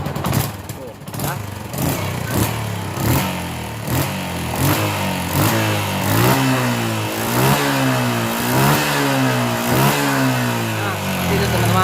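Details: Small motorcycle engine blipped repeatedly after an ignition repair on the coil-to-CDI wiring, which could not handle the high voltage. It revs up and falls back cleanly with no misfire or stumble and now starts easily.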